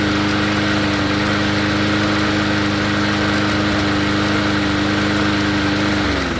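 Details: Poulan push mower engine swapped onto another 20-inch deck: steady high engine note with a light rapid chatter, then revs fall away; governor spring has lost tension.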